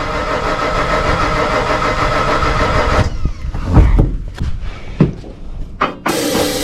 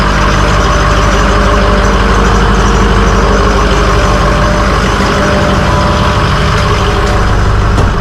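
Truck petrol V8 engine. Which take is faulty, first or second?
first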